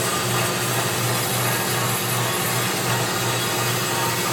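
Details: Unused Turn Pro 10x17-inch belt-drive horizontal band saw, 220 V 3-phase, coolant system on: steady motor hum, even blade hiss and light rhythmic gear whir, no knocks or grinding; runs normally.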